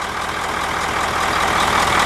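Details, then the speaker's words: International 9-liter diesel bus with K&N air filter, after valve adjustment: even diesel clatter at idle, rising slightly, with no thump-thump from the intake manifold; healthy idle. "as soon as I crank this up I noticed that all I heard was a rattling sound from a normal diesel and no thump-thump-thump in the intake manifold"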